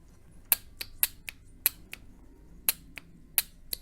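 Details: Honda/Acura transmission linear solenoid (codes P0747 etc.), tested on the bench with a 12 V battery after cleaning: crisp distinct clicks several per second as it switches on and off; solenoid moves and works properly.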